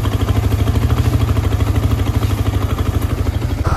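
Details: Yamaha R15 V3 after engine noise repair: low, even thumping idle with a steady beat and no knocks or ticks on top; healthy, normal idle.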